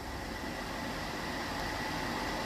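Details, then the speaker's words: Atwood 7916-II propane furnace removed from a pop-up camper, bench hot-wire test: steady fan whoosh with a faint whine, blower only, no ignition; it seems both wires must be connected for it to kick over. "but nothing happens curious so what in the world happened when we swapped it over for some reason you have to actually have both"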